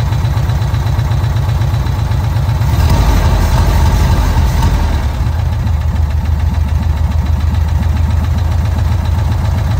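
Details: VW Kombi air-cooled flat-four after a carburettor jet change: loping low beat that swells briefly as the air mixture is adjusted, then settles evenly; normal idle.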